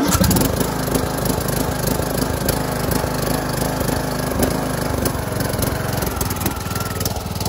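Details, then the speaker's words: John Deere LA125 mower, Briggs & Stratton 21 hp engine, about 281 hours, fitted with a carburetor leaking gas: engine hunts and runs unevenly with ragged beats at idle; poor running blamed on the carburetor, replaced with a genuine Briggs carb. "then a genuine bgs carb cuz with how uh that one was working it's a carb issue"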